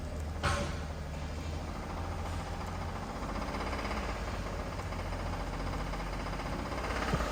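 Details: Toyota Tundra engine at 30k miles, idling: steady low rumble with a faint repeating knock riding under it; engine knock, cause not yet known.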